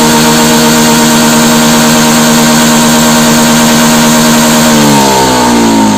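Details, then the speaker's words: Honda Beat FI (injection) scooter at high throttle: a flat steady drone, then the pitch wavers and creeps up without real pull; it loses power near full throttle. "Nah dianalisa jadi ketika mau mendekati atau pentokan sama dibagian sininya itu malah justru tenaganya itu ngempos cash ya"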